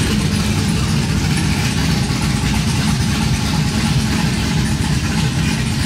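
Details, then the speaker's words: Cammed 5.3 V8 Chevrolet Silverado after long tube header install, open headers without exhaust: loud deep idle with choppy uneven low rumble and raspy exhaust; healthy lopey cam idle. "that sounds great so loudly yeah that's crazy"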